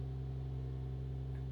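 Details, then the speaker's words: Lexus SC300 with 1JZ-GTE, first start attempt, fuel pump audible: a low, steady hum with an even pulse, no knocking or rattling, at idle just after starting. It runs very well; it probably just needs a new battery. "let's try it oh my God it's it runs so well okay I guess I just need a new battery"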